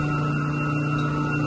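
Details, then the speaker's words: Two York YMC2 magnetic-bearing chillers in series on a single 60 hp chilled water pump, restarted after pump coupling replacement; an even, constant hum with a few fixed low tones and no knocking, rattle or surging, running normally after the vibration repair. "well definitely sounds good over here"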